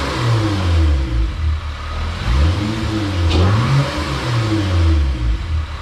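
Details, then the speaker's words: Honda J32 engine swap with new Stage 3 clutch, decapped 390cc injectors and retuned fuel map: engine snaps up cleanly through several quick blips and settles back smoothly, no misses or rattles; quick response, healthy. "oh yeah as you can hear it sounds pretty good definitely has quick response and it pulls really hard"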